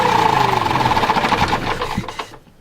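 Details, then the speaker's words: Diesel generator that had auto-shut down, restarted after preheat with electric fuel pump clicking: chugs slow and labored then dies; low rpm, suspected fuel starvation from dirty fuel filter, later confirmed as the culprit. "it's running too slow which can be struggling for fuel with the dirty fuel filter we'll check that tomorrow"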